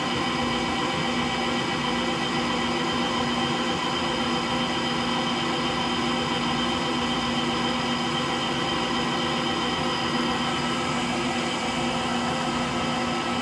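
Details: Frigidaire Gallery front-load washer GLTF1670AS1 in final spin at lower speed: a steady low rumble with a constant hum and no rhythm changes, from worn drive motor bearings.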